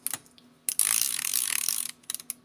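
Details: Tumble dryer disassembly, control selector knob cleaned: crisp, quick run of even detent clicks as the selector is turned by hand; switch clicks through normally after cleaning.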